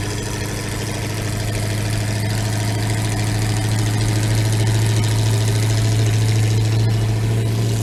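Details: Linn Tractor with 350 small-block Chevy V8 and HEI ignition, started after two years unused in minus 8 °C weather: deep steady burble, even low hum, no knocks, misses or rattles; smooth normal idle.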